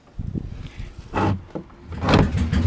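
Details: Engine after starter clutch repair, back running: short bursts of throttle rising and dropping back cleanly, no clatter or grind from the starter side. Normal running.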